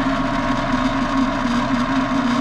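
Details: Fresh air intake/exhaust fan motor starter in a commercial kitchen, switched on with the fan not running: steady electrical hum with a strong low tone around 200 Hz, constant and unwavering; starter contactor buzzing.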